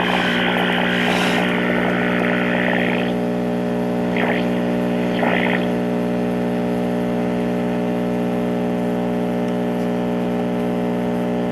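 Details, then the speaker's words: 1952 Trav-ler model 5171 AA5 AM tube radio, first power-up before recap: loud steady low mains hum with a faint signal trying to break through; hum from failing filter capacitors needing replacement. "and we have a normal filter home sound like we had a little bit of a signal trying to come"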